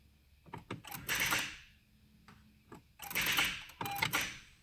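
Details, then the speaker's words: 2015 Honda Civic Si, stored over winter, after a jump start: two short bursts of fast sharp clicking with no cranking or engine catch when start button pressed, accessories and AC work; rapid-click no-start, cause not found. "and that's all she'll do everything works fine if i turn on the air everything like that it blows"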